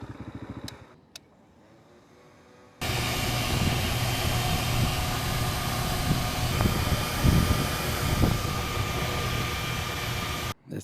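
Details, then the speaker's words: RPS Cross Country 300 EFI dirt bike, Zongshen CBS300 water-cooled 300 cc single, during a ride in wind: radiator fan kicks on with sudden steady whirring rush at even pitch; fans on this model are often wired backwards, causing overheating. "Now when the fan kicks on, I should feel it on my legs."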